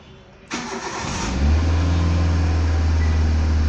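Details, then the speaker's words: Car that cranked but would not start, after replacing a fuse: quiet cranking catches within a second, settles into steady even idle with no stumble; normal start. "you can see now engine starts let's do it once again"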